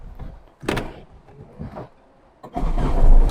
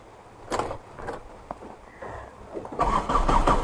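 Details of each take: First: Tata Indica mechanical diesel: brief clunks, then it catches at once with no long cranking despite being a heat-to-start engine, settling into a steady run; normal quick start. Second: Old converted Tata Indica mechanical diesel, rainy weather; cranks steadily over four seconds without catching despite glow plug heating; owner suspects low diesel and plans to pump fuel.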